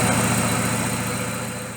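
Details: Daewoo Lacetti with electronic throttle, stalls and misfires when hot: uneven, lumpy idle with a stumbling, shaky beat; misfire recorded on scope, mechanic suspects timing system or cylinder compression, cause not yet confirmed.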